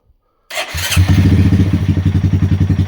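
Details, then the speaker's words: 2020 Honda Grom 125, previously idling rough and misfiring, after ECU fault reset, ECU reset and TPS reset: quick catch on the starter, then steady even single-cylinder idle holding 1200 rpm with no misses or hunting; healthy. "This one's starting nicely, holding the 1200 RPMs. Really nice."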